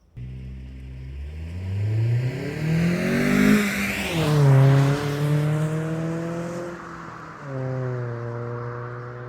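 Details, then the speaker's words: 2010 Kia Forte Koup SX, 2.4L four-cylinder, six-speed manual, about 5k miles, aftermarket Flowmaster muffler; drive-by revving gives a deep, even, grumbly exhaust note, louder than stock, no rattles or misses — normal exhaust note. "I put a Flowmaster muffler on the car. It's not really that much louder. It's definitely louder than stock. And you can hear it has a deep almost grumbly tone to it."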